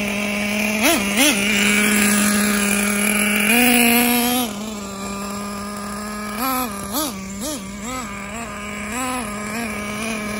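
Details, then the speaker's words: Traxxas T-Maxx with a new Traxxas 3.3 nitro engine swapped in for the 2.5, first start: steady high-pitched buzz at a clean idle, quick throttle blips rising and settling evenly; runs healthy despite earlier freezing-up problems. "all right so we got the traxxas uh t-max running with the 3-3"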